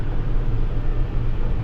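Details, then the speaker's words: Case 305 tractor diesel after exhaust manifold gasket replacement, driving in gear 18 under load: a deep, steady drone with no more ticking, nice and quiet. Normal running under load. "This thing sounds great. No more noise. Nice and quiet."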